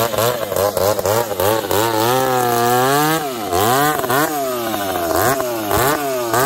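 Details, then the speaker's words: Two chainsaws, an Ironhorse 371xp and a 366, running while cutting: revs sag and surge unevenly, with pitch wandering and pops. The 366 runs lean, and the other goes lean then rich with popping; the owners suspected the fuel. "you can hear it the 366 is lean the 70s all over the place it's lean it's rich it's popping and farting"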